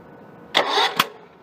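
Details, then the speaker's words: Small 4-stroke engine with the spark plug removed and a finger over the plug hole, turned over to find top dead center: two short hissing puffs of air rush out as the piston comes up on compression. "So let's try this, and I'll see if you can hear the air rushing out of the cylinder on the compression stroke."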